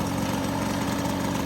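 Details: Restored MBK 51 Club moped, carburettor untuned, idling after a test ride: small two-stroke putters at a steady, even idle with a light buzz and no misses or knocks; sounds healthy.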